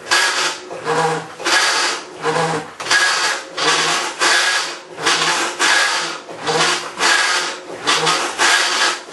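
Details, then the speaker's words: Maytag Centennial Commercial Technology washer, about 14 months old, overloaded for demo, agitating rinse water, recorded ~5 feet away: harsh gravelly grinding surges ~40-odd a minute, one per agitator stroke, owner estimates 100–110 dB; cause unconfirmed. "I think I lost at least 10% of my hearing over that"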